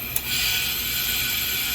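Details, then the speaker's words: Supermarket refrigeration Parker SPORT EPR valve, working unit, with the solenoid magnet put on: steady high hiss of refrigerant gas feeding through the valve with no chatter or pulsing; the valve opens normally. "You hear it feeding. Take it off."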